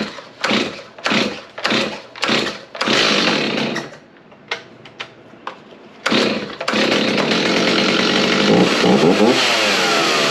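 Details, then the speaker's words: Stihl 029 Farm Boss chainsaw after cleanup and tune-up for not shutting off. Several sharp pull-start bursts, then it catches and settles into a steady, even two-stroke run; works fine. "all right com through bam look at that works like a champ"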